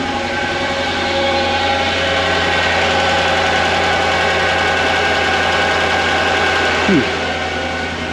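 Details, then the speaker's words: Mercedes E55 AMG W211, supercharged M113K V8, 210,000 km, first start after new injectors, MAP sensor and thermostat, no coolant: uneven stumbling idle with pulses dropping out; missing on one cylinder. "We are missing on one cylinder by the sounds of it and feel of it."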